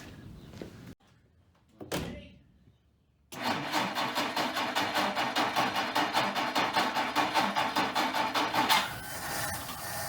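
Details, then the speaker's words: 1959 Plymouth Suburban wagon, long-stored barn find, first start after more gas was added. After a short crank the six catches and settles into a soft, even, very quiet idle with no knocks or misses. "huh hey the dang tank ran let's see if we get the move that's so quiet i can't hear it run"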